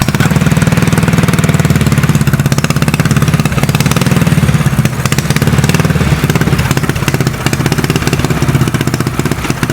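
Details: Custom mini bike trike small single-cylinder engine warming up, running without choke: steady fast idle with even pulses, no stumbling; running cleanly.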